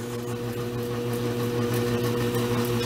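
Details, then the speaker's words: Vintage 1920s Goodell Pratt Model 494 amateur lathe, cleaned up, cutting; steady motor hum with light regular ticking from the drive, no grinding or knocking; working pretty well. "Anyway, there you can see it's working pretty well."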